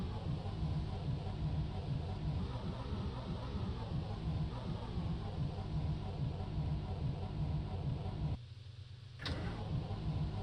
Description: It's a cold damp morning in Germany. I go to start my MB bus but it ain't having any of it.